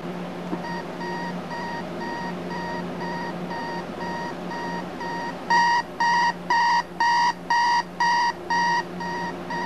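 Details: Thrift-store wood-grain clock radio, alarm set and tested: steady pulsed beeping of about two per second with a clean mid-high tone, even and regular; the alarm buzzer works normally.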